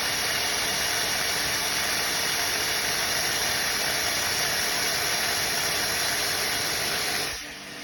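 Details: Premier 556 pool pump, 20-30 years old, after a bearing replacement for a train-like noise: steady motor whir with water rush, smooth with no grinding or bearing growl, then winds down. About 90% improved; the seal still drips slightly.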